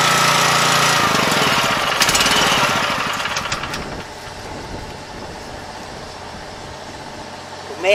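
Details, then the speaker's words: 7 HP Kohler air-cooled engine on a hydraulic power unit, unrun for at least two years, after carburetor cleaning: catches and settles into an even, regular chug at idle with no misses or knocks; normal idle. "to let it run an idle a little while to let all that stuff kind of get flowing again"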